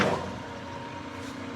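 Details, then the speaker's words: New Precision Matthews PM-1660TL lathe on first run and break-in, gearbox in medium range at 130 rpm; steady even hum with faint gear tone, no knocks or grinding; normal smooth, quiet gear running. "that is nice and smooth that's a that's a nice quiet gear right there i can tell a little bit more gear noise in this range right here which is normal for your higher gears"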